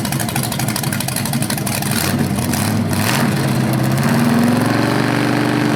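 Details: BluePrint 396 crate engine for a 1970 Camaro SS, first run after oil priming and timing check: deep even rumble climbing cleanly with throttle and settling, no knocks or misses; normal, owner unsure if flywheel or headers sound different when revved.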